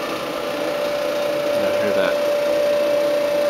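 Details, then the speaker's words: Kenmore electric dryer, about 8 years old, previously trouble-free: drum running with a steady high, thin buzzing rattle over the tumble noise that started suddenly; something loose inside, cause unknown. High-pitched rattle. "We've never had any issues with it, but out of nowhere it started making a weird noise."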